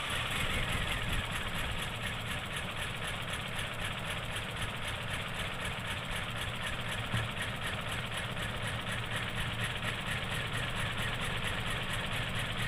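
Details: Toyota Kijang Innova petrol, heavy throttle and high fuel use, after spark plug change and cleaning; steady idle with an even quick pulse and light injector tick, no misfire, running smooth, throttle now light.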